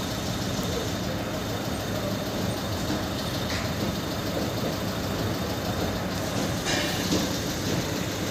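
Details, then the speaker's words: VW Polo 1.2 CJL diesel that would not start, with ECM locked code P157000 and lost communication with other modules: steady, even idle with no misses or knocks after blown fuses were replaced; it now starts easily. "So ಅದನ್ನ fuse ಅಲ್ಲಿ ಹಾಕಿ check ಮಾಡಿದ್ಮೇಲೆ ನಾನು ನಿಮಗೆ ತೋರಿಸ್ತೀನಿ vehicle ಆರಾಮಾಗಿ start ಆಗ್ತಾ ಇದೆ"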